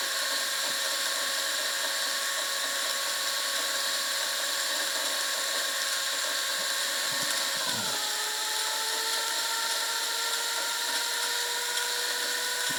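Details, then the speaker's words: Wilesco T115 model steam turbine, first run with the throttle cracked; high whirring whine with steady tones that drop slightly in pitch partway through. Barely revving, spinning freely, bearings good. Normal running. "this is barely revving out at all, but we have got ourselves a spinning turbine."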